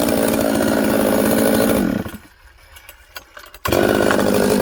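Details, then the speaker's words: Husqvarna 266XP chainsaw on day two after earlier air-leak repair: it screams at full throttle, drops to idle, then climbs lazily to high rpm without a crisp snap, though it idles and runs upside down; it later refused to restart. Lazy acceleration from faulty carburetor. "listen to this one it's lazy coming up to high rpm and but it idles i flip it upside down it doesn't seem to have any problems"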